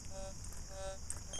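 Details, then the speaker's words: Fors Core metal detector ground balancing over a clear spot: button held while pumping the coil, short repeated high beeps 2–3 times confirming ground balance; DI3 silent search mode with no threshold. "When it beeps, we're ground balanced."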